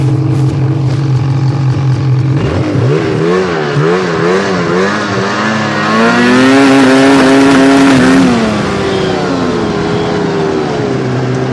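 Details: Snowmobile (XRS) engine making an abnormal noise, pitch wobbling up and down at low revs, rising on a rev then settling unevenly with hunting revs; owner can't figure out the cause.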